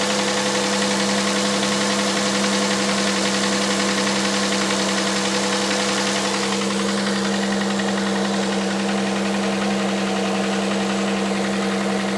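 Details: Hyundai Santa Fe CM, G6EA 2.7 V6, cold idle: light fairly even tapping about four times a second over hum; engine knock needing tracing.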